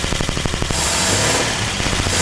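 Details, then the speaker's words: 1949 Vortic Ford truck at first start after a tune-up, with the ballast resistors bypassed and 12 volts fed straight to the coil: quick, even firing pulses settle into a smooth, steady run with no knocks or misses and a little smoke out the back. "oh that sounds so good a little bit of smoke out the back"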